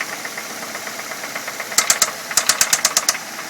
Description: 2006 Ford Fusion, 80,000 miles, 4 cyl. . Engine knocking sound. Curious if it is a valve issue or maybe the timing belt is slapping underneath and making that sound. any ideas.